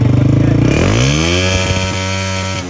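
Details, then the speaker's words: CG 125 single-cylinder motorcycle revved: revs climb then stutter with uneven drop-outs while throttle is held, misfire also felt riding at 40–80; spark plug and plug cap suspected, not confirmed. "अब हम bike को race देते हैं आपको check कराते हैं किस तरीके मिसिंग होती है बाइक के अंदर ठीक है"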